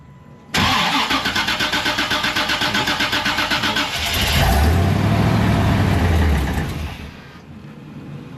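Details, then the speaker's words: 1988 Chevy Suburban 7.4L 454 that won't stay running: steady cranking at about four pulses a second that never catches. The fuel pump can be heard, but the gauge shows no fuel pressure, so the fuel pump is bad. "okay close the switch and open it like you can hear the fuel pump yeah I could hear it there's just no pressure crank it all right just shut it off yeah so it's a bad fuel pump"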